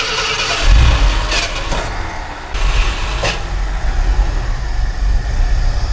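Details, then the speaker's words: Abandoned Ford F100, carburetor fed starter fluid, fuel leaking at the suspected accelerator pump gasket: engine catches with a surge then settles into a low, lumpy idle; carburetor rebuild or replacement considered. "Would you look at that? She actually runs."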